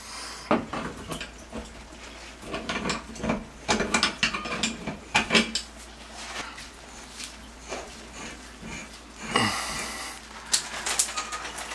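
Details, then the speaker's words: Shower after replacing the squealing showerhead: fitting clicks and ratcheting, then steady water spray hiss with no squeal or flow restriction; old brass showerhead whistled at any adjustment. "must have been the showerhead no more squeal no Flow Restriction in that at all"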